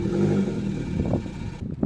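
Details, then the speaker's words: Fiat Panda 100HP with a Bravo 1.4 T-Jet turbo engine swap on its first start, with no coolant lines fitted and a slight oil smell. A brief throttle blip gives a lumpy, uneven note, as if missing on a couple of cylinders; a misfire is suspected, not confirmed. "It sounds like it's running on 2 cylinders. I'm gonna try and give it some gas. Oh, that's so cool. The engine isn't running the world's greatest, but I don't care."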